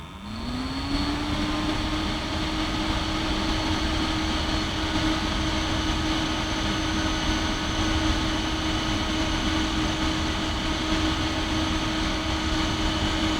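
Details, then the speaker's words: Compaq DeskPro 286e at power-on, microphone aimed right at the computer: motor spins up in about a second to a steady hum with an even, loud airy rush; no rattles, fan and hard drive running smoothly. "And I'm going to turn it on for you to hear on the podcast just how smooth this thing operates."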